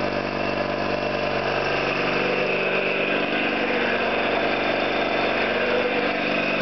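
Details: Orlík 2 JSK 75-2 piston compressor at one of its first starts after the owner's rebuild (concentric valves, seals), motor provisionally started in star for the house breaker; steady rapid thumping about three beats a second, even, no knocks; normal running.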